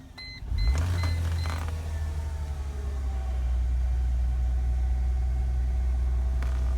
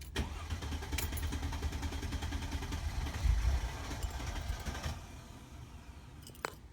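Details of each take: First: Mercedes-Benz C240 with a previous crank-no-start condition, just after fuel pump replacement. A couple of chimes, then the engine catches quickly and settles into a steady low rumble at good RPM; starts and idles normally. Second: Mercedes-Benz C240 crank no start, before fuel pump replacement: starter churns steadily about five seconds without catching, and there is no pump hum at key-on. Fuel pump not running.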